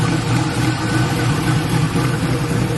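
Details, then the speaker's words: LS-swapped Black Haven Buick Regal V8 idling after a thermostat change and coolant refill, leak check: steady, even low rumble, no knocks, ticks or hunting; "sounds pretty good", healthy. "on another note sound pretty good pretty good"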